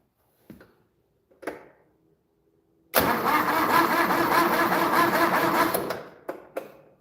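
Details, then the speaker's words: Project loboy with a 400 engine, cranked with the fuel line disconnected so it can't start: a few seconds of labored, sluggish cranking that sags toward the end, because the battery is nearly dead. "Don't want to crank it over too much, but you can tell the battery's pretty much dead."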